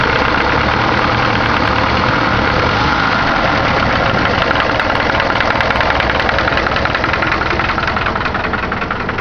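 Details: Engine of the owner's Caravan 4-cylinder (called "Cargo 76"), first start of the day after returning from work: a rapid, loose ticking knock about three to four a second over a rough idle. The source is unclear.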